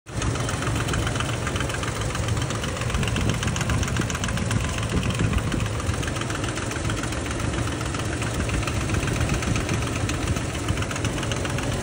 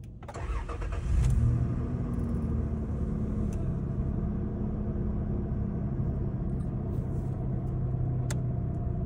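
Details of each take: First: Toyota Land Cruiser V6 at idle: rough metallic knocking from the top end over the engine note; found carbon buildup on that side, pointing to worn, rubbing camshaft gears. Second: Toyota Land Cruiser V6 after repair of engine noise caused by a broken oil-gallery part feeding the camshaft, filter refitted: engine cranks, catches within a second, settles into a steady even idle with no knocks or ticks; normal idle.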